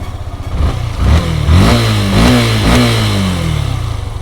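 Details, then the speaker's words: Fuel-injected bike with an engine sensor coupler unplugged so the ECU lacks data; engine light stays lit. RPM drops suddenly, then surges and sags in uneven waves instead of holding steady; unstable idle from the unplugged sensor. "अभी RPM एकदम से लो हो गया है यहाँ पे, ये देखिए RPM में फ्लक्चुएशंस आ रहे हैं।"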